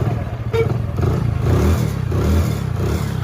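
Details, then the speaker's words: Hero Passion Pro after a full engine rebuild and refit of general parts. Low, steady single-cylinder thump-thump at idle with no knocks or rattles; even and healthy. "ఇనండి main గా engine sound main important కాబట్టి sound ఇనండి."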